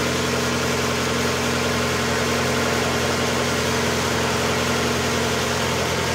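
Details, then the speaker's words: 1992 Mazda Miata 1.6 L with about 121,000 km, just after timing belt, idler, water pump, oil and filter replacement: brief noisy lifters at startup clear within seconds as oil pressurizes, then an even, smooth normal idle with no ticking. "so I had a little bit of noisy lifter at the beginning and of course within a couple of seconds all that new oil went right through pressurize the system and I'm up and"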